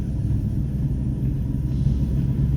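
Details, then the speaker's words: 2005-06 Dodge Dakota at about 5 mph: deep steady growl while rolling that fades when it stops, a rolling-type noise pointing to a worn wheel hub bearing; wheel bearing growl. "see when i come to a stop the noise go away so what you can assume based off that alone is it is a rolling resistant noise it's a rolling type noise meaning uh as you roll the noise is produced"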